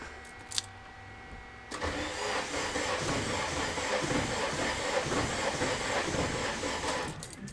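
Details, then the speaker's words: Acura Integra running K-Tuner, first start attempt after MPR coolant tank and timing chain tensioner install: starter churns steadily about five seconds, never catches; crank-no-start, first blamed on K-Tuner map loading, found to be a faulty MAP sensor. "so something's up all right well I found out the problem turns out it was partial K tuner giving me problems trying to load the maps but it turns out it was a map sensor that was actually the problem"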